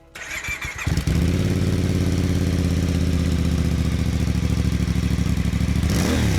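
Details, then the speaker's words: Voge DS800X Rally motorcycle after a cheap fix for its Euro 5 jerky throttle, with a new exhaust and no heat shield: a short crank catches at once and settles into a steady, deep, even burble with no misses, quieter than the original exhaust; normal start and idle. "But it sounds absolutely wonderful. It's actually not as loud as the original exhaust, which is surprising. However, this is nice. Got a nice little deep burble to it."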